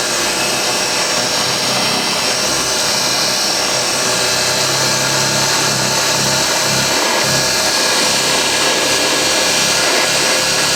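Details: Refurbished vintage Hoover 612 upright vacuum running normally on carpet, picking up crushed Weetabix test dirt in one go; loud, steady airy roar over an even motor purr, no rattles or surges.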